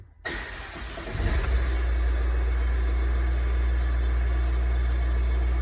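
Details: Ford brought in with a no-crank condition; after CAN-bus communication was restored and all modules came back, brief cranking, then the engine catches and settles into a steady, even idle with no misses or knocks; starts and runs normally.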